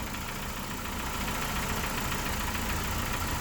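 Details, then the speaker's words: 2001 Ford Escort ZX2 right after an oil change, at idle: fast, light ticking about three or four per second; owner suspects valve chatter, hoping oil hasn't yet reached the top end; no leaks seen. "I don't know if you guys can hear it, but it almost sounds like there's valve chatter. I'm hoping that's just because the oil hasn't worked its way up there yet."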